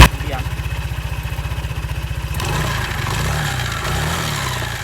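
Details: Automatic scooter idling evenly, then a rough scraping rasp rising when revved: a worn, long-used CVT belt rubbing the metal cover, leaving scrape marks and risking breaking; belt should be replaced at the specified interval.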